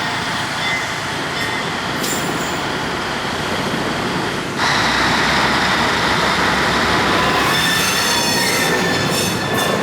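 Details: 1953 GE 80-ton long-frame diesel locomotive, last run 1998 by the Navy, just revived after temporarily twisting the contactor coil wires: heavy steady rumble, rail clatter and wheel squeal pulling away; takes load, forward and reverse work. Air throttle has dead spots, likely loose wiring.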